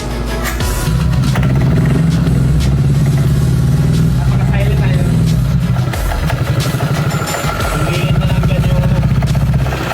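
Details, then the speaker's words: Honda PCX 160 with cam grind experiment, revved on chassis: deep loud drone surging with throttle over a rough uneven rattle; noise from CVT pulley due to broken variator sliders, not yet replaced. "yung ingay dyan guys na narinig nyo is yung puli guys, yung slider sira na kasi yung slider ko yung papalitan ko naman lang na wala pa akong pera ngayon."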